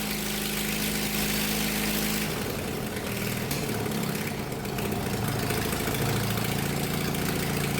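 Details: 1999 Murray riding lawn mower being built for racing, single-cylinder engine running with the exhaust and air filter removed: a harsh, very loud raw bark with a steady low pulse.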